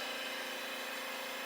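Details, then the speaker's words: Kawasaki FH580V engine that loses power, dies after running and smokes on start-up; valves measured loose. Leak-down test: a steady hiss of air holds under test pressure and escapes through the carburetor, so a leaking valve is not sealing. "I can hear it coming out of the carburetor too so we definitely got a valve problem"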